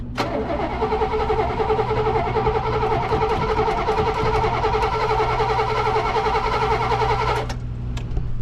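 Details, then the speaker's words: 1968 Oldsmobile Delmont after sitting a week, pedal pumped a couple of times while fuel comes up: starter churns steadily for about seven seconds before the engine catches and runs well. "there we go after sitting for a week it's not too bad sounds good"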